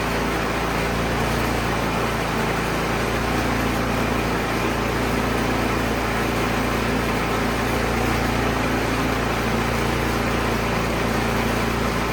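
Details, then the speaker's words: Troy Bilt Storm 2660 snowblower that fired but wouldn't run, old gas suspected, after carburetor cleaning clearing a pinhole-clogged emulsion tube: small single-cylinder holds a steady, even drone, constant pitch, no misses or surging; runs cleanly. "We'll start it back up. Make sure it runs."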